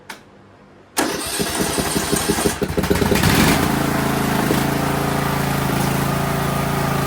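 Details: Craftsman DLT 3000 riding mower after a new fuel filter, air filter and oil filter: short crank, then it catches and settles into a smooth, even idle with no stumbles or misses. It is running healthy.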